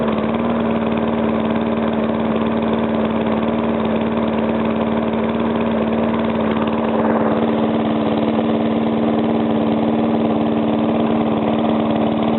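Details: Briggs & Stratton single-cylinder engine, first start after rebuild: earlier knock came from compression leaking past the piston on one side, fixed by rearranging the rings and cleaning. Now an even, buzzy steady idle with little or no knock; normal idle.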